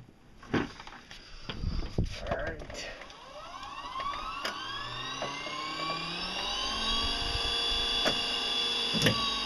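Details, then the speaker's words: Salvaged used electric motor with propeller, reassembled after troubleshooting an abnormal sound: brushes checked, part glued, screws oiled. A few clicks, then a clean whine climbing as it spins up, with slight rumble from rough gears. Running normally. "oh sounds about right part of the noise is just the rough gears down there cuz uh this was a used thing it was actually in the garbage"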